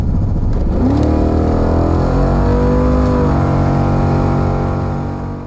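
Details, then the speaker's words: LS1 VL Calais on Haltech: revs climb fast, then hang high and steady before easing; the TCI torque converter, meant to stall at 3,500–4,000 rpm, stalls near 5,000 rpm, though apparently it still works as intended. "So this is a TCI, I can't remember what the code was. It's basically a 5,000 stallie. It's very, very high."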